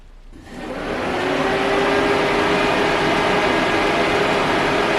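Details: Engine electric cooling fan commanded on through a bidirectional OBD2 scan tool test: it whooshes up to speed within a second and holds a steady, even rush of air. Running normally.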